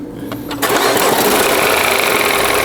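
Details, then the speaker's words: Mini Countryman three-cylinder petrol engine with 73,000 km, right after start-up, a loud busy rattly whir at idle; another shop judged it to be engine noise, but the mechanic doubts this and wants to inspect. ">> 이게 엔진 소음이에요."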